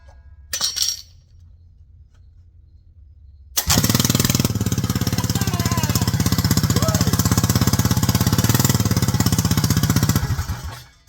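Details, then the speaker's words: Kart/mini bike small engine started with newly installed JMCStore pre-wind recoil starter, partly wound: fires right up, settling into steady even single-cylinder putter about three beats a second; normal start and idle. "And it fired right up. So this little device, instead of me having to pull and pull and pull, you could pre-wind it like that."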